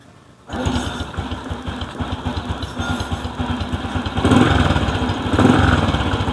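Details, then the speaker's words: Small kick-start motorcycle, stored about a year, after cleaning and reassembling the magneto-side cover: starts and settles to a steady, even idle with no knocking from the magneto side; normal idle. "sir Okay mga boss ig na yung andar niya wala na yung kumakatok dito sa may Magneto na siya ngayon karas na lang natin okay na to"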